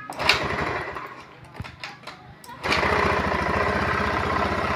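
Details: Honda automatic scooter, hard to start: catches after a few rough, uneven firings, then a lumpy, hunting idle; stumble caused by a faulty engine oil temperature (EOT) sensor, fixed by replacing the sensor with a bolt.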